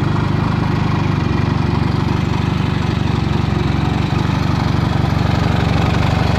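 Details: 1979 Yamaha XS650 360-degree parallel twin after rebuild with rebored cylinders, new pistons and stainless valves; steady even exhaust pulses with no knocks or rattles; normal running.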